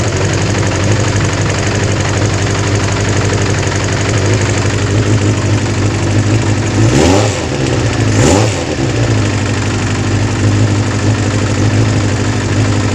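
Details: Kawasaki GPz 400 after fixing a hard-start problem caused by an overflowing carburettor: a steady, even idle with two quick, clean throttle blips that rise and fall smoothly; the engine runs healthy with no stumble.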